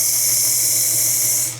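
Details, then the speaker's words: Jeep XJ running with the check engine light on and code P0304 (cylinder 4 misfire): loud, steady hiss over a rough idle. Vacuum leak from a torn intake manifold gasket. "And I don't know if you can hear that hissing. It's hissing pretty bad, right?"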